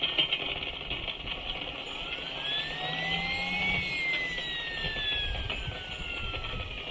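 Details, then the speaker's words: Model turbine gearbox: high whine rising and falling with speed with a glassy scratching rasp; second-stage bearing damaged by oil starvation because a blocked restrictor stopped the fuel/oil feed. "Sounds like a load of glass again."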